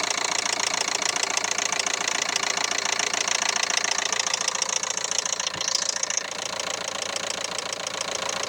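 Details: 2011 Renault Megane 3, K9K 834 1.5 dCi diesel at idle, with a sharp, regular metallic knock at about three and a half per second. Cause: timing belt jumped one tooth.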